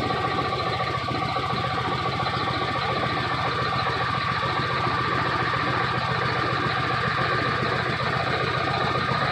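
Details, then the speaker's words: Cold Detroit Diesel Series 60 11.1 in a Freightliner FLD120 with bad injectors, no throttle: lumpy, uneven idle with a loose knocking beat, running on nearly only 2 cylinders. Owner suspects cold, sticking valves. "So it's only running off of damn near only 2 cylinders right about now."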